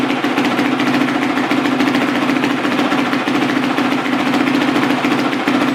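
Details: Carbureted four-stroke single-cylinder dirt bike, freshly rebuilt top end with new piston, near operating temperature: a steady, even beat with no top-end rattles or knocks. Normal running.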